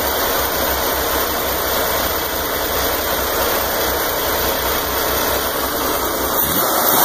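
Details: Corvair engine in a Greenbrier after rebuild, running evenly with a steady smooth beat and light mechanical chatter; no knocks, misses or surging, so it sounds healthy.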